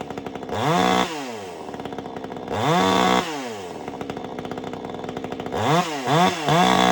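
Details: Vevor 58cc gas chainsaw, new, just after freeing a bound-up chain: picks up cleanly to a high scream and drops back to an even idle several times; running healthy.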